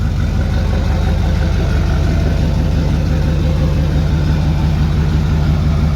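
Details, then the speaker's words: Rebuilt Duramax diesel, possibly not fully cold, no exhaust fitted yet: a deep, steady idle with an even beat, raw and loud from the open pipe; it runs clean. "Sounds good. Oh, we didn't put the exhaust on yet. That's something we got to do."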